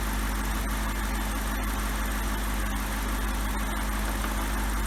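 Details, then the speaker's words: BMW E64 650i 4.8L V8 after PCV valve replacement for exhaust smoke: idle now much smoother, dips briefly as it recalibrates then settles into a low, even hum with no lumpy misses or hissing; normal idle. "It sounds quite a bit smoother. Oh, it almost came down. I think it's recalibrating itself. There she goes."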